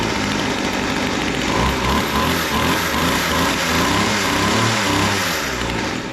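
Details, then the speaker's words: Weedeater hedge trimmer small two-stroke, carburetor rebuilt with original metering lever refitted, idle raised after restart: sputters and surges unevenly, won't hold steady idle; owner suspects idle too rich. "still doesn't seem to want to idle maybe idling too rich I'm going to lean it out a little bit"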